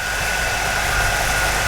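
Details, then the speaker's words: 1985 Jeep CJ7 with a 4.2L 258 six just converted from carburetor to throttle body fuel injection, just started before timing is set: steady fast high idle, even hum, no knocks. A normal raised start-up idle that will come down. "go ahead Charlie start it off there's that high idle again that will come down I'm gonna wait a few seconds for that to come"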